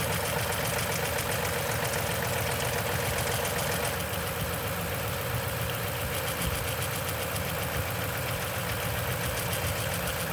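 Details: 2010 Toyota Tundra, 165k miles, 5,500-mile oil changes: fast, fairly even ticking rattle three to four a second over a steady cold idle; suspected timing chain noise on cold start, unconfirmed.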